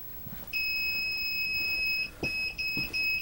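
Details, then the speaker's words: RTC-P3 electronic people counter: a long high beep followed by shorter beeps as the in-house occupancy total passes the set threshold, repeating every 20–30 seconds while above the limit. "and there you saw or you heard how the system will beep to let you know it will also beep approximately every twenty to thirty seconds when there's no activity just to let you know that you are above the occupancy threshold"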